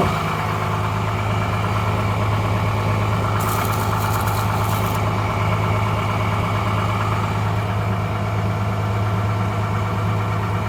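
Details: 12-valve Cummins diesel just started after nine years sitting: steady even idle clatter with low drone and regular rhythm; runs good, injection pump seems a little sticky.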